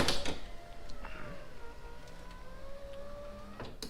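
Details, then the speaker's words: Turbo Honda Accord driver's power window after repair (previously went up only with door closed): clunk, then even motor whine for about 2.5 seconds ending in a thump as glass seats; goes down and up quickly, normal operation. "all set goes down and back up pretty quickly so i'm happy"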